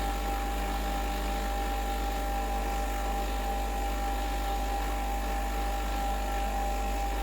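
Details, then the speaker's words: Breville Dual Boiler BES920 espresso machine running a blank shot of hot water to warm the group head: steady, even pump drone, constant mid tone, no surging or rattle; pump normal. "you can just run a blank shot, and as you might know, a blank shot is just a shot of hot water without any coffee in the handle."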